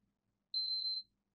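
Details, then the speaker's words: PS5 disc edition board on power-up: single high, piercing half-second beep, part of the triple-beep boot sequence, diagnosed as a corrupted BIOS needing replacement. "check my boot sequence haha well that's going to be an easy one it's a triple beep of death it's a corrupted boyos"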